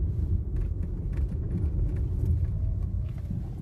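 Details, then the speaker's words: Citroën C3 driven over uneven ground, customer complains of noise over bumps: dull, irregular, annoying clunks from the front over low road rumble; front suspension knock, bar and control-arm mount suspected on one or both sides, not confirmed. "realmente tá uma barulheira é um barulho chato aqui na frente né"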